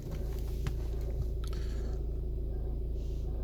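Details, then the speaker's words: VW Passat B7, warm after driving, in neutral, clutch in or out no difference: steady idle with a regular low pulse and faint rough grind whose cadence rises with revs, seemingly from the bulkhead; owner guesses a pulley. "my foot on the throttle now just to increase the revs and the cadence of that noise is increased as well don't know if you can hear that over the revs of the engine it just sounds like it's coming from front of the bulkhead"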